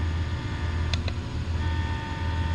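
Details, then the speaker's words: Autodod control, infinitely adjustable speed turned way up: steady low drone with a faint buzzing vibration from how the motor is driven electronically, not a mechanical fault. "and you can hear the vibration that vibration is basically the motor how it's being driven electronically"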